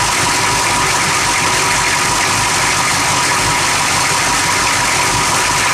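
Engine idles loud and busy with a ragged, uneven chatter instead of a smooth beat; it is idling rough, cause not pinned down.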